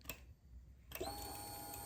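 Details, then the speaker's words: 2009 Harley XL1200 Nightster that turned over but wouldn't start, key on after replacing a bad relay: steady electric hum starts abruptly, normal fuel pump prime. "we have Prime"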